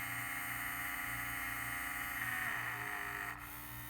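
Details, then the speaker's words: Vintage 1978 Shinsei Fire Fox RC car, steering servo, digital proportional radio: thin electric whine whose pitch changes as the lever moves further; hums slightly if not perfectly centered; electronics responding normally. "now it'll have a tendency to kind of move just a little bit and hum if it's not perfectly centered but right now if i go if i give it right it's digital proportional too so you can hear that the pitch changes i move the lever farther"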